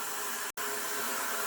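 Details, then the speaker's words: Rheem electric water heater (PROE50 T2 RH95 / 82VH2-2) tune-up flush: drain valve opened at full force, strong steady rushing hiss of water, briefly cut once, no sputtering; drain flowing freely, normal full flow. "all right one more time that sounds like a full force faucet we'll keep running it so you can hear the different sounds"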